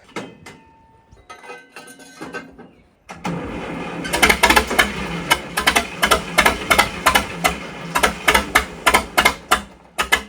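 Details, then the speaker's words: Tractor that sat outside overnight in the rain: uneven, sharp popping at about three beats a second, only firing on two cylinders. Owner suspects moisture in the ignition, most likely the distributor; unconfirmed. "Ruh-roh. only firing on 2 cylinders. What the heck is wrong with this thing? Sounds like a Johnny Popper."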